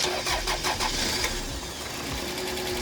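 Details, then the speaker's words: Audi A4 from a wreck, engine bay, started via remote kill switch: starter cranks with a brief stumble before catching and settling into idle, with ticking that seems a little too loud; slight hesitation on start. "It have a slight hesitation a while ago right as it's about to start."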